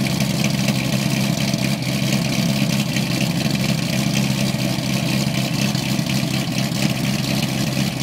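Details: 2008 cammed LS3 Corvette coupe with LG headers, high-flow cats and NPP dual-mode exhaust, after an exhaust leak was fixed: a loud, lopey cold idle in loud mode, beating about twice a second, steady with no ticking or puffing. This is normal.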